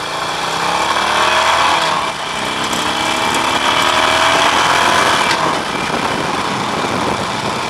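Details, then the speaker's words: Harley-Davidson Nightster 1200 ridden warm, full open throttle: a metallic rattle comes through the exhaust roar as revs climb. Absent in regular acceleration, occurs every ride, and the cause is still unresolved after four dealer visits. "Definitely hearing it there. And keep in mind, this is during open throttle. This isn't just during like regular acceleration."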